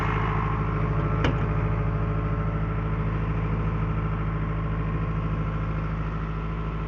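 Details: Late-1980s Caterpillar 943, diesel, warming up at idle for 10 minutes before moving; steady, even low rumble with smooth regular firing, no knocks or misses; normal healthy idle.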